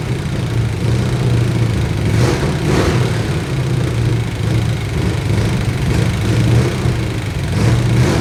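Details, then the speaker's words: Chevrolet C20 V8 with distributor loosened, timing being set by ear: lumpy, uneven idle with wandering, stumbling beat over a low rumble; incorrect ignition timing. "so i've loosened the distributor i'm going to dig out my timing gun but i think first i might just try and do it by ear and see if that gets us anywhere"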